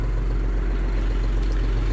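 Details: 2022 John Deere 5065E tractor started on a 92°F day: steady, even low diesel rumble with no knocks or misses; clean idle.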